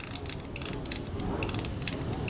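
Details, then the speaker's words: Camera shutter speed dial during reassembly, retaining ring being tightened: crisp light even clicks as the dial turns through shutter speed detent stops; detents working normally. "You can hear that detent clicking. The shutter speed click stops."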